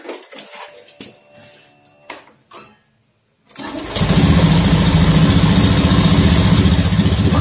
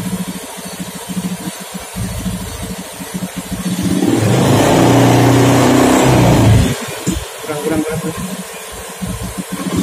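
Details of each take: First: Honda Beat FI scooter after its dirty CKP sensor was cleaned with compressed air: it starts promptly and settles into a steady, even idle without misfire or stumble; the sensor was only dirty, not faulty. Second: Honda Beat FI scooter, new TPS fitted and set to 0.507: small single idles with uneven pulsing beat, takes a throttle blip, then settles back rough and hunting; unstable idle rpm.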